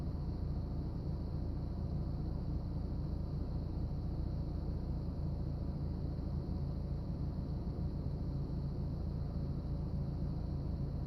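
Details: BMW E36 318is with M44 engine after startup: idle dips and the car shakes, then idle rises and settles but stays rough, with a loose, lumpy beat; cause not evident.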